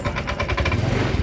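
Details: Honda Vario 125 after repair for suddenly rough engine, cover refitted, restarted: steady even putter at idle with light regular tick, no stumble or rattle; running smoothly.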